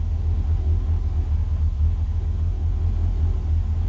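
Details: 1963 Falcon, turbo 2.3L, aftermarket throttle body and IAC: low, even idle with no misses or surging, settled at a steady speed. Idle brought down, tuning still touchy as IAC and throttle blades interact; owner considers a smaller throttle body.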